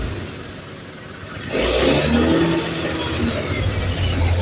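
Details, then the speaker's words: Honda Beat FI (ACG starter) scooter, no fault code, smooth at idle but stutters and surges when throttle opens from idle, riding like it's running out of fuel; traced to faulty throttle position sensor (TPS). "grejet gerejet grejet seperti itu ya. Jadi saat saat ditumpaki atau saat ditunggangi dia tidak nyaman karena jalannya seperti ee mau habis bensin lah ya."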